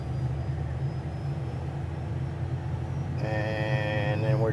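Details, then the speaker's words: Cessna turbine engine, right engine started first on 24 volts, watching fuel flow, oil pressure and light-off, starter cutting out at 43%: low rumble, then a clean rising whine spooling smoothly without surging; good, normal start. "then we're just waiting for 43% for our starter to kick out. You can hear it, and also if you look down, you can see it cut out right there. It cut out. So we got a good start."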